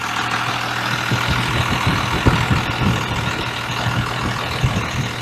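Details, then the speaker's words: 1993 Dodge W250 Cummins 5.9L 6BT diesel, manual transmission, just restarted after radiator and oil fill: slow, lumpy clatter at an even beat; idle raised from about 650 rpm but still below the manual's 750 rpm spec. "The manual says 750 is the number for the manual transmission. We're still a little low."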